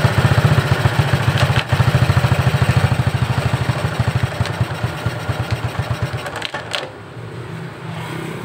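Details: Suzuki Shogun 125 single-cylinder motorcycle at low idle: uneven clattering knock coming and going, not in time with the engine like rod knock; cause a loose nut inside the clutch cover, no con-rod replacement needed.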